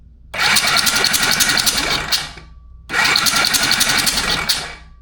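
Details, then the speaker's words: Hercules W2000 Wankel rotary motorcycle, flywheel fitted only loosely to test for spark. Two cranking bursts of about two seconds each with fast clatter and no firing: no spark. The points lead was found a little corroded. "So I don't have this flywheel anywhere near tight. I just want to see if we have spark. Please, please."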